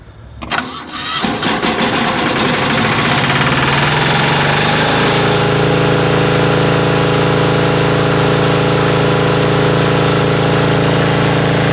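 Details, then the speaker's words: Ingersoll-Rand MC-2A diesel air compressor after a tune-up with oil and filter changes, glow plug start, first run since October. Quick crank, catches within a second, then a steady even idle with no knocks or misses: healthy start. "everything works and since the tune-up everything works as it should and very well I may add"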